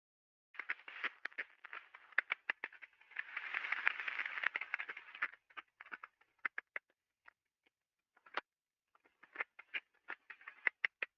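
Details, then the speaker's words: Ultrasound recording of a slow bearing turning at 14 RPM: sharp, uneven clicks and crackling bursts of impacting from an inner race defect, with visible damage on the race. "you can clearly hear the impacting on the bearing you can see even the damage on the uh the race right here"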